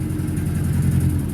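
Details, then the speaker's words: 30-year-old Italian Chrysler, just after start: low, lumpy idle with uneven stumbling beat from a misfire; owner says it needs new spark plugs. "misfiring a little bit still I got to get new sparklers but I'll go over that here in a second"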